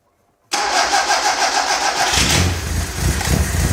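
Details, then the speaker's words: 1959 Alfa Romeo Giulietta, parked for years, cold start on choke: catches and settles into an uneven, stumbling idle with irregular firing; known to stutter a lot when cold. "I know it stutters a bunch when it's cold."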